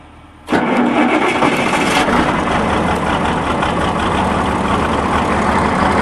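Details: Tractor started cold by turning the key on a cold morning: brief crank then catches at once, settling into a steady even diesel idle; clean, normal cold start.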